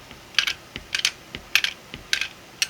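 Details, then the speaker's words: Single-print 3D-printed 1/2" quick-release ratchet with socket, turned clockwise: crisp sharp clicks about two per second as the pawl snaps over the teeth, no counterclockwise turning, normal ratchet clicking. "Place your socket on and turn it clockwise. You can hear it clicking, but it can't turn counterclockwise."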